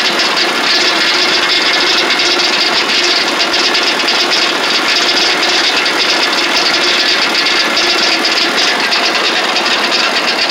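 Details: Lucas Mill 618 sawmill under refurbishment, right-angle gearbox: loud, harsh rattling clatter steadily over the running engine; gearbox has oil but much lash between gears, owner unsure if rebuild needed or normal; gear rattle.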